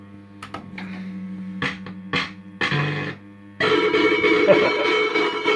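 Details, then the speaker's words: System80 machine after running about half an hour, warm: choppy tone bursts then harsh, buzzy, crackling jingle; distorted sound output that is fine when first switched on, owner suspects the sound chip. "It's alright when you first turn it on, it's fine for about half an hour, and then, so I guess it's a warmth, so when it's warm, it's one of them things."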